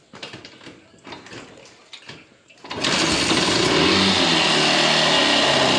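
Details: Yamaha SZ RR motorcycle with smoke and engine noise complaints: a few kick attempts, then the engine catches and revs hard with a harsh, raspy buzz. Abnormal engine noise when revving; cause not identified.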